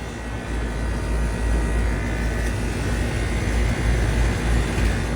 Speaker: That's probably a I think it's a a three ton. Nice compressor sound.